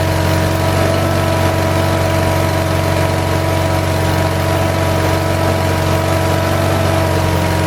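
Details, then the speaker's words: 1978 Lincoln Lincwelder 225 welder-generator, cold start after a governor adjustment, carburetor still not fully adjusted: steady mid-speed drone with faint lumpy pulse; normal cold running. "a so as you can see I know it's going to focus but does a pretty good job it's running a little bit cold it's a little bit lumpy"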